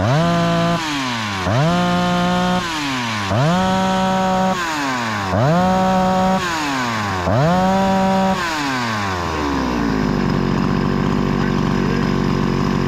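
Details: Husqvarna 288XP chainsaw, rebuilt with a new cylinder and piston, after fixing a lean-running condition and adjusting the high idle screw: five crisp blips to high revs, each dropping cleanly back, then a steady idle. Running healthy.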